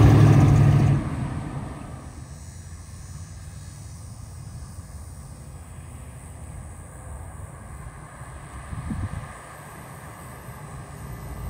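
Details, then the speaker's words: 1938 Ford pickup with 350ci V8, Weber four-barrel carb, Edelbrock Performer intake, Flowmaster mufflers, Turbo 400 three-speed automatic, passing under acceleration: deep, smooth V8 burble swells then fades, clean firing; healthy exhaust. "what a beautiful truck sounds good drive is good what do you think drive's good"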